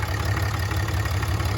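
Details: 2017 Ram 6.7 Cummins diesel started after crankcase (CCV) filter replacement to check for leaks: steady low rumble with an even, unbroken beat and no knocks or misses; healthy idle.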